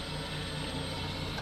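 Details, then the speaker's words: Ducati 999 at key-on after a battery replacement: a quiet, evenly pulsing electric buzz for about 1.5 seconds, then a clean cutoff. The fuel pump is priming, while the dim dash and maxed RPM gauge point to loose battery wiring. "it's definitely priming the fuel pump though and the tail light is on so we got some wiring bugs to work out for sure"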